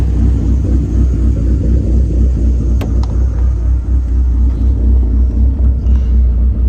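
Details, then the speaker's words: SRT4 with big cams and big turbo, idle raised 100 rpm and adjusted for smoothness after the first tune. A deep, steady rumble with an even beat and no stumbles: a smooth, healthy idle. "I do believe he told me he raised the RPM up by 100, and I think he did a couple other things just for the smoothness of the idle. So you'll hear that here."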